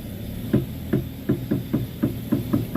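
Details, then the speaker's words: Toyota Avanza/Xenia-type front wheel while steering is turned: dull sharp "tek tek" knocks about three a second. "Nih itu bunyinya ya, Teman-teman. Bunyinya tek tek."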